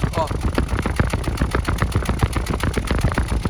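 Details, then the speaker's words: Toyota Corolla four-cylinder with check engine light, low power, stumbling and high fuel use, heard at the exhaust at idle: lumpy, uneven puff-puff about two beats a second; cylinder 1 not firing properly. "fazendo pó pó pó pó pó é porque o cilindro um não tá funcionando direito ele tá praticamente Funcionando aqui três cilindros o motor tem 4 cilindros"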